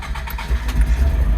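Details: 1986 Nissan 200SX S12 Silvia with intermittent wiring gremlin, in humid weather: engine turns over briefly, catches cleanly and settles into steady low idle without stumbling; issue could not be replicated, normal start.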